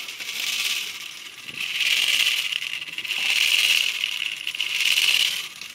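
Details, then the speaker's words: JET BD-11 lathe converted to CNC with a 1.5 kW servo driving the spindle via an HTD 8M, 40 mm toothed belt on hollow 3D-printed plastic pulleys: under braking load, the belt rings and squeals like a taut string. Tight pulley grooves are suspected. "Вот ремень натягивается, начинает звенеть, как струна."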